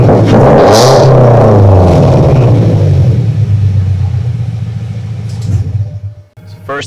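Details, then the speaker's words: 2015 Subaru Impreza, first start after Invidia R400 catback exhaust install: calm idle, deep even burbling rumble swelling cleanly with revs to 2–3,000 rpm and settling back; healthy, slightly louder, possibly breaking in. "Nice calm idle, love that. I'll give a couple revs in here. It won't be too loud though. I'll just give it, you know, 2 or 3K."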